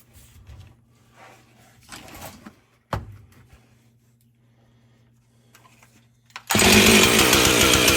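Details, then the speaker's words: Husqvarna 450 chainsaw after teardown, carb cleaning and tuning, with a replacement spark plug fitted after weak running; bursts into a loud, steady high buzz without sputtering, running much better. "w that sounds a lot better so I'm not sure how long the hip of plug will last with I'm try it"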